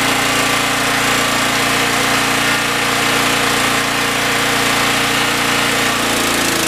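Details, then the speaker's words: Generac GN360 6500 W generator: engine runs rough, then dips and labours near the end after battery current was tapped to the brushes; no power output, bad generator head with a short. "so when i tapped the um brushes well i put current to the brushes and then start the engine or start the power generation process it didn't work it just kind of sat there what that does mean however though is that this is a bad head there's a short"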